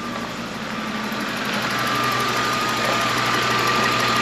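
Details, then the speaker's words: BMW E36 325i six-cylinder with M3 intake, warm, idle valve fully closed: steady even idle with faint high intake whistle, no misses or knocks; runs like clockwork, normal idle. "le moteur il tourne comme une horloge franchement ce moteur il avait la santé"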